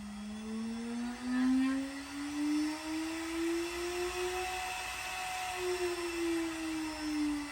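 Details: Newly assembled Alt-Mill CNC machine, spindle speed being raised. A clean, steady whine climbs in pitch smoothly, then holds, with no grinding; the spindle runs healthy.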